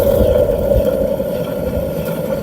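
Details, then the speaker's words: Opel Astra J / Chevrolet Cruze with the wheel raised and spinning: a steady mid-pitched hum that fades gently, the real hum of a worn wheel bearing, as opposed to a light swishing sound; the bearing is then replaced. "Вот как должен гудеть подшипник. Шик-шик-шик - это не ерунда, а вот подшипник гудит конкретно."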